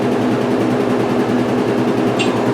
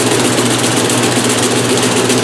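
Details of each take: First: 1996 Maytag Dependable Care Plus top-load washer after load rebalanced; loud even rumbling spin with steady rhythm, no heavy thumping; balanced spin, normal. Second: 1996 Maytag Dependable Care Plus top-load washer, first load in new house; loud rapid rumbling thump during spin with cabinet shaking hard and walking even while held; load off balance.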